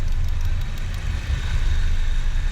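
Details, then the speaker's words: Car with a 5th-generation CNG system switched from CNG to gasoline: low, even idle with none of the injector-rail clicking heard on CNG, running quietly and smoothly. "como o motor trabalha silêncio"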